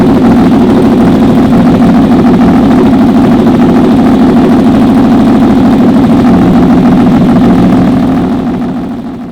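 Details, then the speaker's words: 2004 Honda VFR800 V4 converted toward CBR1000, custom LexTek exhaust; deep, even, throbbing exhaust note held steady, no misses or rattles, then fading, healthy and smooth. "I'll see you guys in episode 24, and I'm going to leave you now with this beautiful sound of this sweet exhaust."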